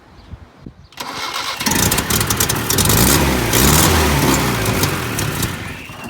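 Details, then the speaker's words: 1978 Datsun 1500 Ute GN620 (GN620) first start after 20 years parked in a shed, fuel gauge reading empty: starter churns steadily with brief attempts to catch that never build into a run; cranks but will not start. "Oh, the engine clearly wants to run."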